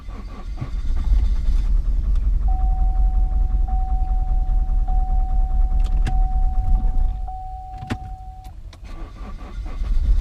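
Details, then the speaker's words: Cheap 2.0L diesel Chevy Cruze, idling under a repeating dash chime: lumpy, uneven low thrum that sags, won't run well; misfire from bent valves. "all right so this thing won't run very good"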